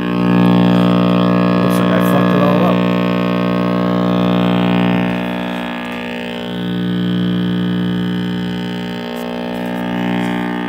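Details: RCA Victor X551 vintage tube radio at first power-up after restoration and power cord rewiring: constant deep buzzing drone at fixed pitch, swelling slightly; owner suspects last-soldered filter capacitor with unconfirmed reading.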